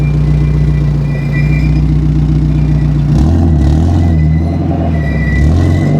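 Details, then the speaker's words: NB Mazda Miata after swapping in an exhaust from a wrecked Miata: loud, deep drone with a rough buzz under throttle; the exhaust is rattling against the drop-down cradle removed during the install. "It sounds like it's like rubbing against something though. Oh no, it's that cradle that drops down. That I pulled to do the exhaust."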